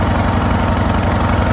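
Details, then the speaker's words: Craftsman LTS 2000 riding lawn mower, 19.5 hp, after carburetor and belt replacement: small single-cylinder engine holding one fast, steady beat with no change in speed; stuck running at high speed. "okay so as you can hear it's running but it's only running at one"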